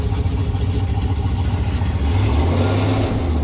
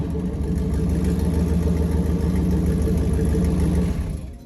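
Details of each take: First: 1995 Jeep Grand Cherokee ZJ V8 after replacing crankshaft position sensor with a Mopar part, driving: deep, steady rumble pulling evenly under throttle with no hesitation; idle still not great. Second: 1995 Jeep Grand Cherokee ZJ V8, lifted, muffler cut off, headers and downpipe only: loud, deep, raspy V8 rumble with steady throb; open exhaust, sounded worse in gear and moving.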